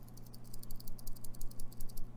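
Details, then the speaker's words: Monoprice Maker Select Plus 3D printer after an X-bearing upgrade: light, quick clicking rattle, about ten ticks a second, as the carriage is slid back and forth by hand; owner suspects slight play in the bearings. "know if you can hear that it's very Radley that just might be how it goes though just about all the bearings around a little bit"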